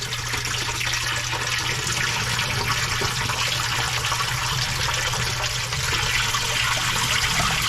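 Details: Commercial sewage ejector pump after clog clearing and repair, rotted galvanized pipe section replaced with PVC and rubber Fernco couplings: steady low hum under a strong rush of water, no knocks or grinding; normal float-triggered cycle.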